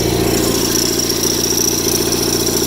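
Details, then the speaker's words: Rare factory-built Cub Cadet garden tractor with an Onan twin at idle: steady, even idle with no misses, knocks or hunting, running smooth; a separate rattle comes from the loose PTO clutch counterweight disc. "but i'll tell you what guys this has to be one of the nicest running onan engines i've ever had and i've had a lot of them this one is smooth as a swiss watch"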